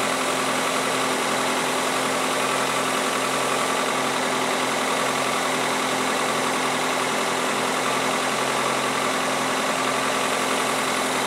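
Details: 2003 Toyota Corolla 1.8L with P0505 idle control code: even but fast idle around 1200–1400 rpm, far above normal; failed idle air control valve, to be replaced.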